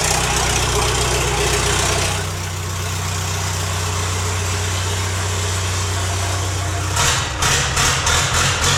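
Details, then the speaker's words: Late-1980s Lull Highlander 844 telehandler diesel with muffler off, valve lash just adjusted (exhaust 18 thou, intake 14 thou), pump timing possibly off: loud, harsh clatter, uneven pulse, choppy bursts; rough idle, cause unconfirmed. "I got the muffler off right now, so it's horrible sounding, but uh it's running on its own."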